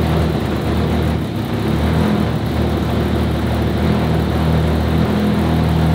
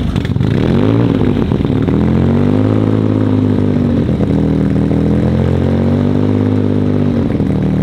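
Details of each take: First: RS4 Limo 2.0 project engine, warm start, while the cause of its smoking is being sought: a steady, even low idle with no misses, stumbles or hunting, a smooth settled idle that runs noticeably better. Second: Audi RS4 sedan with freshly built engine on only its third start, tuned on the fly while an oil smoke/leak issue remains unresolved: loud steady note with wavering pitch and uneven hunting; rough running.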